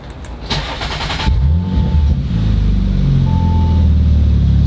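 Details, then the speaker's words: Rebuilt 2019 Audi RS5, second start after earlier engine bay smoking: short crank, catches at once, settles into loud, deep, even idle with no misses, no longer smoking; normal cold start and idle. "really good starts up on the money it's not smoking anymore not smoking no wow"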